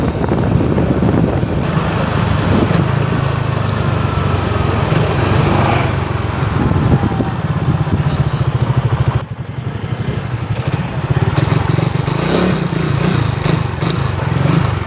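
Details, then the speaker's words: Suzuki Raider 150 Fi on test ride after greasing rear caliper pins and dust boot to cure noise since pad change: steady single-cylinder engine and road rush, no squeal or scrape when braking; rear brake now quiet. "So ayun na nga mga tol, wala na tayong narinig na kakaibang tunog kaya effective naman yung ginawa natin."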